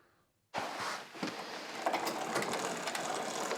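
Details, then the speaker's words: Mountain bike rear derailleur with the low limit screw too tight, loosened slightly but not enough. Fast, irregular ratcheting clicks as the chain climbs to the largest cog, then falls back down. "okay so it's going up but then it's falling back down so that's not quite loose"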